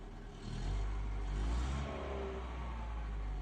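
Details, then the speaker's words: Opel Astra F 1.6 C16SE after replacing the water pump and timing belt: engine picks up cleanly on a short throttle blip and settles smoothly, with no knocks or rattles and the earlier grinding noise gone. "şükürler olsun arabamız çalışıyor gacır Gucur ses yapıyordu Şimdi çok şükür Herhangi bir ses yok"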